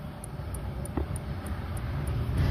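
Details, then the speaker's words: LG 21-inch flat CRT TV, dead after previously working: faint sharp ticks about three per second from power supply hiccup, no output voltage; suspected shorted horizontal output transistor. "ഈ ഒരു ടിക് ടിക് sound ഈ power supply ആ ഒരു ഭാഗത്ത് എന്നാണ് പറയുന്നത് ഈ ഒരു സൗണ്ട് യഥാർത്ഥത്തിൽ ഹെച്ച് ഔട്ട് പോയി ഇരിക്കുമ്പോൾഉള്ള ഒരു സൗണ്ട് ഉണ്ടാണ്"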